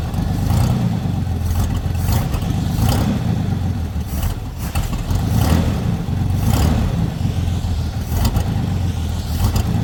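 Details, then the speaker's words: Chevy lowrider V8 after fixing oil leak from dipstick (crankcase pressure; unhooked a line): deep steady rumble settling into even, quiet idle with light blips, no knocks or ticks; runs normal. "[Music] the [Music] H so quiet can you hear that thing Run"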